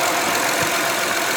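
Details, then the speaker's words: 2009 Honda Odyssey after replacing upstream and downstream O2 sensors, recorded close under the hood: idle is an even, steady hum with no misses, knocks or ticks. Sounds, runs and feels smooth; normal idle. "Alright, so another thing to do is come up here and get a good listen. Sounds smooth, runs smooth, feels smooth."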